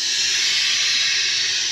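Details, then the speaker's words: F-4 Phantom in hangar, compressor off with air accumulators charged: loud steady high-pitched hiss with no rhythm; large pneumatic air leak, suspected at the canopy strut. "air accumulators are charged up but I don't know if you guys can hear that or not but uh that's a leak hey let's go see what that is"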